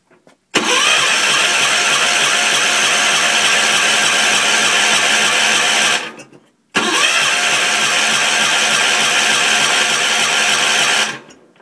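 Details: Gravely 450 tractor with a Kohler K241 single on its first start attempt after rewiring. The starter whirs steadily for about five seconds, pauses and cranks again without catching; fuel is primed. Spark check found no spark; owner suspects the old coil and condenser.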